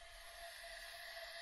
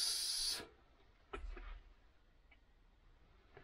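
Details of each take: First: BMW S1000RR engine on the bench during a leak-down test: steady airy hiss with faint whistle as air escapes past a slightly leaking inlet valve, possibly dirt or a nicked seat; seats to be checked. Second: Low-mileage BMW S1000RR engine, leak-down test at 100 psi during a refresh: a short airy hiss, then a faint leftover hiss and light clicks. About half a percent leakage past the piston rings, expected and excellent. Normal slight ring leakage.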